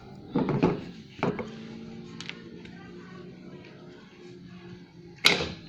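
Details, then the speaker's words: Daihatsu Classy G102 starter motor bench test with the battery feed cable to terminal 30 disconnected: three separate sharp clacks seconds apart, no spinning whir. The solenoid pushes the pinion forward but the motor never turns, as a loose or disconnected feed would cause. "itunya cetek-cetek ya karena ini gigi pinion ini hanya Maju aja digerakkan oleh selenoid starter nah Hanya seperti ini karena tidak ada arus langsung dari aki yang menuju ke Terminal 30"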